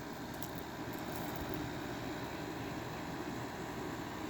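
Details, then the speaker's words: Sharp window air conditioner with LG rotary compressor, heard from outside: low smooth steady drone with a faint high whine, no knocking; owner says some LG rotaries sound like this; normal compressor running. "some reason some of the LG rotary compressors they kind of sound like receipts and this is one of them"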